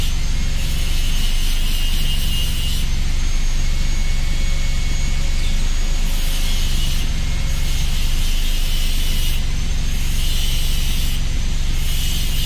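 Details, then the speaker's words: Chevy Optra idling with lights on, no input: idle surges and sags every two to three seconds, never settling, then stalls; owner reports it also dies in reverse and suspects fuel pump or spark plugs, unconfirmed. "Tumataas baba. Yun. So wala tayong ginagalaw dyan mga sir. Kusa lang yan."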